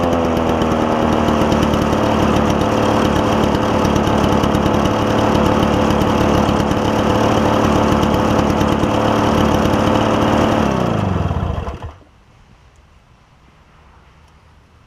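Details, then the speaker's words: Toro push mower with a two-stroke engine believed Suzuki-made, after carburetor cleaning: crisp, even two-stroke buzz like a marine outboard holds steady eleven seconds, then winds down cleanly at shutdown; normal running. "it sounds like a marine outboard as opposed to a lawnmower doesn't it but cool sound cool sound"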